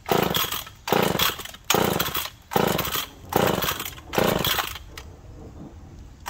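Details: McCulloch Pro Mac 1010 chainsaw after carb readjusted (owner thinks it had been running a little rich): revs surge and sag about once a second, never settling to a clean note; mixture still not right, not confirmed.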